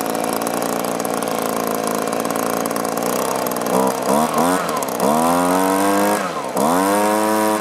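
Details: Echo two-stroke blower after fixing fuel tank vent: steady idle then quick clean revs rising and falling without hesitation or bogging; normal running.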